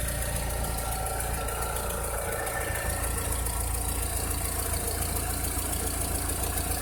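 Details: 2006–2007 VW SpaceFox engine at idle: a steady idle with a loose, somewhat uneven tapping of about three and a half per second over the drone; a strange engine noise whose cause is not identified.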